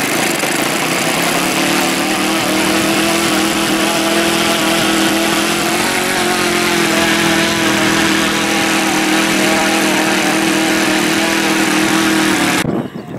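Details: OS Max FS120 four-stroke model engine, which earlier had no compression from a blocked exhaust valve, running. A high, steady buzzing drone dips slightly mid-run; running cleanly and evenly.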